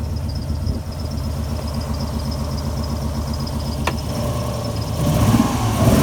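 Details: Alfa Romeo GTV V6 started after a few months parked: uneven, lumpy idle with an irregular low pulse, then revs rise briefly; rough running, misfire suspected.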